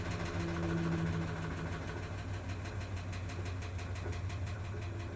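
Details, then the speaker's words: Maytag MVWP575GW commercial washer after replacement of motor, belt, drive clutch pulley, actuator and control board: steady pump hum into an even motor whir with soft pulsing, no clicks; drain and spin normal, clicking occurs only at agitate. "know everything else it does perfectly fine it will drain and then spin"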